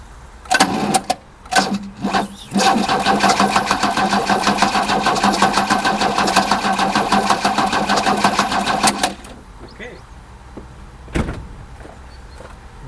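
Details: 1979 Opel Commodore C parked about 15 years: starter turns the six over steadily for about six seconds, even rhythmic chugging, never catches; fuel lines are cut and there is no fuel pump, so it has no fuel.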